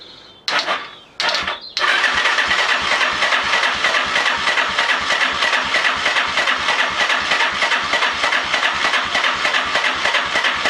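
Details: Lifan Earth Dragon 125, hot-wired, first start attempt: steady, slightly uneven chuffing of about 97 turns a minute that never catches into a run; cranks but won't fire, no spark.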